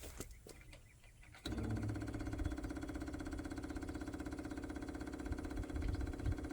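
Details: International cab-over truck after reinstalling the fuel tank and feed line, with about five gallons added: quiet until key-on, then a steady whirring buzz with a light even pulse. Fuel pump running and picking up fuel.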